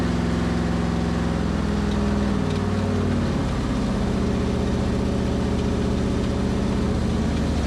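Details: 1973 Dodge Dart with a 340 V8 and 727 transmission, revived after sitting for years. The big V8 rumbles at a loping idle that dips in pitch partway through: the engine is running on its own again.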